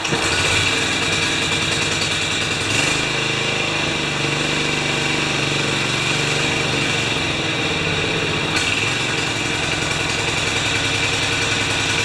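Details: Older John Deere 14SE mower engine runs with a ragged, uneven buzz that never settles; it only runs on choke until warmed a little, modern fuels blamed for it stopping running, being started to test power for the blade; rough running, cause unconfirmed.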